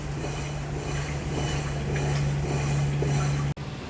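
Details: Electrolux washing machine making motor noise while washing or agitating: constant low hum with a rough, gritty rumble underneath as the drum turns; the drum bearings are blown and to be replaced.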